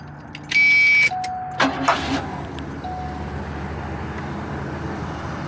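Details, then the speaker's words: 1979 Cadillac Coupe DeVille, 56,000 original miles: chime, then a quick crank and the engine catches at once, settling into a quiet, even idle with no misses; normal start. "it starts right up runs great idle smooth it's a good running car"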